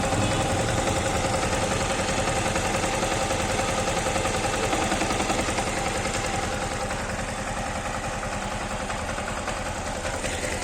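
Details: Yamaha MT-15 single-cylinder engine: steady, even idle at a constant rate with no knocks or rattles; normal idle.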